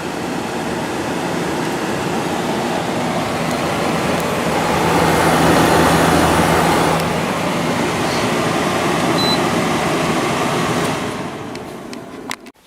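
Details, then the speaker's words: Cleaned window air conditioner with a Gree compressor, just started: steady, even, very quiet hum with a low drone and fan rush, no knocking or rattle. The compressor runs smoothly and gets a little louder over time. "compressor in this one is very quiet of course it gets a little louder as it runs over time but it's very"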